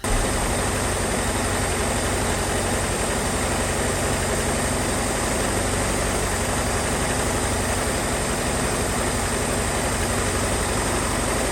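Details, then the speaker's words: 1978 Ford Mustang 2.3 engine run for a while after decades idle, with new aluminum radiator: steady idle with constant rough chatter and flutter from the front, a loose alternator belt; rough running earlier from a disconnected brake booster vacuum hose. "but start to kind of smoothing out throughout me running it, besides that loose alternator belt that's making all that noise up front."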